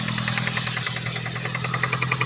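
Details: Ford Focus ST idling: sharp regular ticking about seven to eight per second over steady engine hum, loud top-end tick; owner unsure if injector, cam phaser or coil, knock localized to one side, not timing chain.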